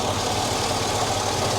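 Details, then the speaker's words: Chevrolet SSR V8, sold at auction as having internal engine noise, checked with the hood up: steady, even idle with a smooth, unbroken rumble and no knocking or misses. Sounds healthy. "it sounds it sounds perfect make sure that it's closed it sounds absolutely perfect"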